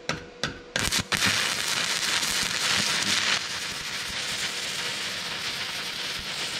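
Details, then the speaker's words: Stick welding with Vevor MIG-250 welder at around 90 A onto rusty metal: a few sputtering pops as arc strikes, then steady even frying crackle; hard to start but burns smoothly once lit, normal arc. "Keevitab küll hästi rooste peale.... algus on veits raske, aga kui saab põlema siis läheb edasi juba jooksvalt"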